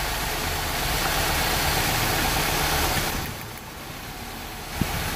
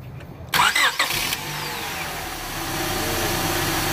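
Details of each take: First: Rough-running engine at idle during a cylinder power balance test: pulling plug wires one at a time, idle turns lumpy and uneven, speed sags and the engine vibrates more as one cylinder drops out, with a large manifold vacuum drop. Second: Car with a rough-running misfire complaint started with a vacuum gauge on the intake manifold: brief cranking, then a smooth even idle, vacuum steady around 20 inches.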